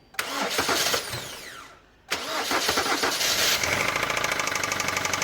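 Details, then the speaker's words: Kia Optima 2.0 petrol engine after two rough start-ups: runs with a steady, fast knock; borescope shows oil washed off and scoring in cylinder 2, possibly from overheating, with milder marks in cylinders 3 and 1. "глуши Kia Optima двигатель стучит второй цилиндр смотрим края намы масло смывается и задиры видим во втором цилиндр"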